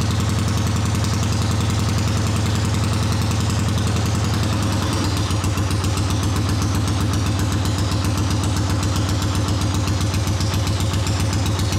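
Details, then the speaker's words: 1979 Honda CX500 twin, half-converted cafe racer, first run with rebuilt carbs: low lumpy uneven idle, one cylinder weaker; right exhaust colder than left, cause still to be investigated. "So the right exhaust is colder than the left. We'll have to investigate that, but it is running."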